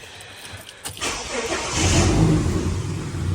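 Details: 2000 Ford AU Falcon automatic, sat over 5 years, first start right after fitting a second-hand replacement throttle body: short crank, catches straight away, flares, then settles into a low steady idle. Starts and runs normally.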